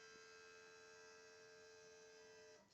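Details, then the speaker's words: After repairing the stuck-closed control valve, the electric brake vacuum pump whines for about 2.5 seconds when the brake is pressed, then cuts off cleanly. Before, it ran constantly and got very hot. This is normal vacuum pump cycling. "Вот сейчас тормоз нажму, заработал. Все, перестал. Нажимаю тормоз, опять заработал."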